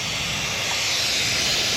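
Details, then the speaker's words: LB7 Duramax being checked for an internal fuel leak under the valve covers: loud steady air hiss as shop air pressurizes the fuel return side, with diesel vapor escaping at the leaking rear injector and possibly another. "diesel vapor coming out back there. That back injector."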